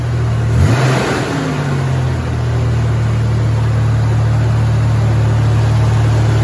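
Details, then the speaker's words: Supercharged Toyota truck ("Ole Red"): a sharp rev, then a loud, deep, droning, unmuffled idle; the exhaust is rusted out and leaking, making it sound like a little NASCAR. "Yes, the exhaust is pretty much rusted out on this. That's why it sounds like a little NASCAR."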